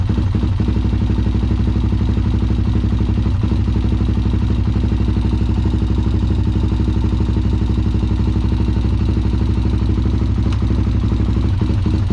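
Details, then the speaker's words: Honda 400EX quad that sat for years, being revived with a new carburetor and fuel petcock: single-cylinder idle thumping about four beats a second, uneven with skipped or soft beats. It is better than before, but there is still a misfire at idle, cause unknown. "got a bit of a Miss in there doesn't it definitely better than what it [Music] was certainly hear that Miss"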